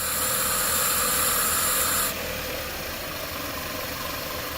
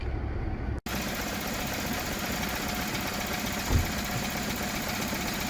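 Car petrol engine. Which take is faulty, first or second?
second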